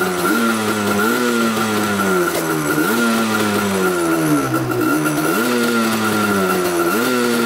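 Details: Yamaha Banshee two-stroke twin, rarely ridden, after a fuel tank cleanout: on choke the throttle blips sound rough and stumbling, as one cylinder keeps dropping out. Owner suspects a fouled spark plug.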